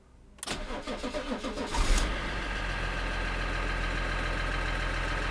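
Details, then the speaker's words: BMW 330D (VP44 injection pump) first restart after cooling system rebuild and cracked oil cooler/head gasket suspicion: brief cranking with rapid compression pulses, then catches into a steady even diesel idle; starts cleanly. "It runs ! And she runs pretty good"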